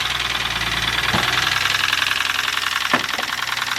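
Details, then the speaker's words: Lexus petrol engine at idle with a loud, steady knock about three beats a second; it arrived by tow truck after knocking while driving, check engine light on, and oil condition is blamed. "he was driving he came back on the tow truck with engine knocking engine was knocking like crazy"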